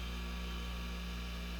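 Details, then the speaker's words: Dishwasher motor (AC 120 V, max 3350 rpm) throttled by Variac to 46 V at 0.39 A, running around 3000+ rpm; quiet, steady low hum with no whine or rattle, running normally. "here it it's running 46 volts there in the background and it is screaming at point three nine amps"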